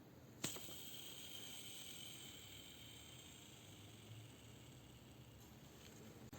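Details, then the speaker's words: Metabo W 750-125 angle grinder after six months of tile and metal cutting, rotor burnt: hand-spun rotor gives a sharp click then a dry, hissing rasp fading as it slows; bearings dry of grease, worn with play. "а сж слухаємо як шумлять Ви чуєте да підшипник шумить летить пересохший змазки"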